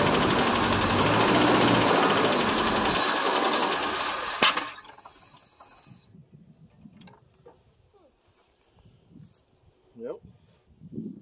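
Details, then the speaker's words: 1963 International C120 4x4 pickup, 266 V8, first start in about three to four years, leaking carb bowl. It runs with a raspy hiss only while gas is poured into the carb, then dies abruptly: fuel starvation stall. "turn the key off well as you guys see it did take a start it does run if you feed it"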